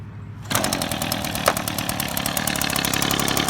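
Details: Two-stroke engine, idle screw turned to the left: slow, even firing pops that lag noticeably, on the edge of stalling; idle speed set too low.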